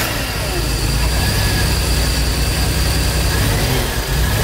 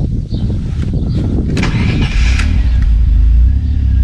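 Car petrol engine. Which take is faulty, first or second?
first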